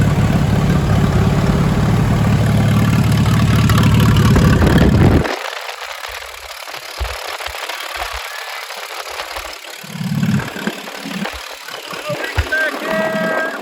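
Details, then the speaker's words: Old "Minnie" propane tractor engine running without a muffler after repair, good oil pressure but not charging; loud, even unmuffled thump for about five seconds before shutoff, no knocks or misfires, normal running. "it's been a long time since i've heard this baby"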